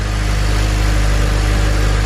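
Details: 2007 Honda Civic Si idling after replacing the tensioner, serpentine belt and idler pulley: steady, even idle with a clean low hum and no squeal, chirp or rattle; the earlier belt-area noise is gone.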